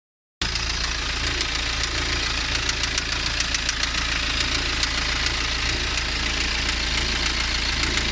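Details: BMW N47 177 PS diesel at idle: sharp, fairly uneven ticking knock about three to four times a second through the diesel clatter; source undetermined.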